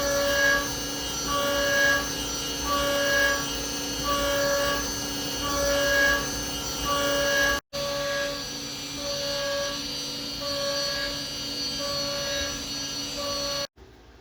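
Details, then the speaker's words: 3/16 end mill machining a brass comb: steady even cutting tone with a light chirp repeating under a second apart, no chatter; clean, smooth cut leaving a nice finish. "I'm really happy with how that 3/16 end mill kind of machined that out. Man, that ran smooth."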